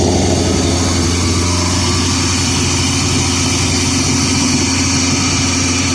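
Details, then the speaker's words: 1985 Shelby Charger start, new injector wiring harness: steady fast idle well above normal tickover, no dips or hunting; high idle. "But it's definitely idling high. Oh yeah, she's idling good and high."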